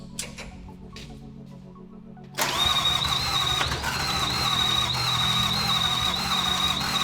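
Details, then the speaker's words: FJ49 new build with Toyota 1VD (VDJ) diesel first fires after a poorly seated connector (pebble in plug, one wire) is fixed; catches after a couple of seconds and settles to steady even idle with faint high whistle, running healthy. "i can't believe it i can't believe it's going the ups and downs of roller coasters that these things put you through but one little wire just stopped us in our tracks but that's all it was it was just one little white"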